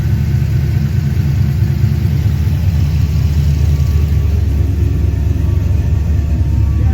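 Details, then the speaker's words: HZ Holden ute with LS V8 swap, after removing the windage tray that was banging on the sump: deep, steady idle rumble with an even beat and no knocking from the bottom end; healthy. "now that the the crank's not hitting that it's nice and sound the engine actually sounds pretty good"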